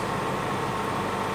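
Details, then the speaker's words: 3D vacuum machine for phone cases: a constant airy hum and hiss that never cycles off. The vacuum pump keeps running because trapped pressure isn't released; the fix is turning the Phillips release screw anti-clockwise. "If you hear this noise now and it continues all the time, then you will need to release the pressure."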